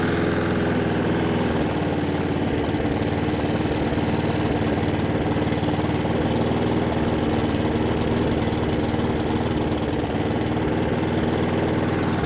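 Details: Brute mower, Briggs and Stratton Classic engine, with a donor governor spring fitted but kink removed, giving too little tension to hold the throttle open; note rises and falls rhythmically; fix is bending the spring tab.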